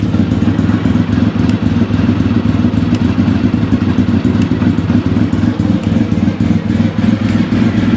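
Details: Engine idling just after first start following four years of standing, with a light, fairly regular tick about three to four times a second riding on top; source unknown.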